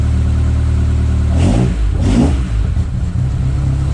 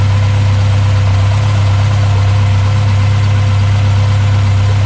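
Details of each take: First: Mk1 Escort Pinto engine converted to Jenvey DCOE 40 throttle bodies with a MaxxECU Street, first start, stone cold: a deep, lumpy idle running very rich, after earlier running lean and popping through the inlet. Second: Mk1 Ford Escort Pinto engine at first start after a Jenvey DCOE 40 throttle body and MaxxECU Street conversion, throttle bodies balanced and base timing set: steady, even idle with a smooth low burble and no hunting or misfire, then shut off; normal idle.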